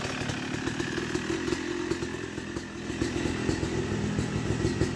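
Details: Yamaha YZ250 two-stroke (270cc/250cc) motocross bike after a full engine rebuild (bottom end, transmission, bearings, clutch, power valve), heard distant on street break-in ride: pulling cleanly through gears, crisp rising and falling revs, no misfire or rattle; smooth shifting, normal running.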